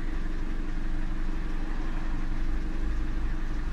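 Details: 2016 Chevy Sonic LTZ 1.4 turbo: smooth, steady low idle with an even beat and no misses, hiss or surging, after the stuck-open purge valve was fixed; long-term fuel trims dropping toward about 10%.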